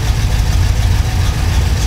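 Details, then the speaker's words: Engine on FiTech EFI with cylinder misfire: lumpy, uneven idle with irregular low thumps and stumbling beat, air-fuel ratio swinging from 14.5 target to about 15.3, black smoke running rich; misfire from loose or arcing plug wires. "so we're going to show you how it runs when it's completely unstable and has the cylinder Miss fire and then again when we correct that cylinder misfire how it [Music]"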